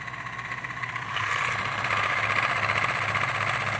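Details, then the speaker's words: 1930s-40s Robbins & Meyers 16-inch oscillating fan, model B16A6-O, running on low: motor hum with faint uneven chatter from the turning oscillation gears, which sound dry. Owner considers adding light machine oil. "Turning the gears. I almost want to just drop some zero-weight machine oil down there just for good shits and giggles."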